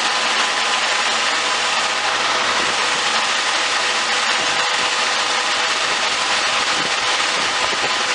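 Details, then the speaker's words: Jeep with a high-idle fault: the engine races at a steady fast idle and rpm won't drop or stall, resetting only after it sits switched off. The cause is unknown. "so as you can see it wouldn't stall because the engine was just racing"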